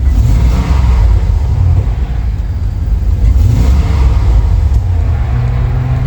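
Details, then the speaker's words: Cheap Chevrolet Suburban with fuel rails cut down and multec injectors sealed with zip ties and gasket maker, on high idle and revved: deep rumble turns lumpy with a very bad miss like half the engine dead; air leaking at the injectors. "It's on high idle. It's giving it extra fuel, but it has missed a very, very bad miss. It almost acts like it is driving on half the engine because it basically is. It gets some fuel, I'm sure, but it's sucking in extra air."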